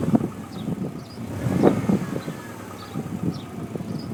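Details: Subaru Impreza WRX STI Version 2 import, 90,000 miles, engine cold: uneven, sharp woodpecker-like taps over a low rumble; loud when cold, much quieter when warm and then heard only when revving, not at idle; unchanged for two years; owner suspects piston slap.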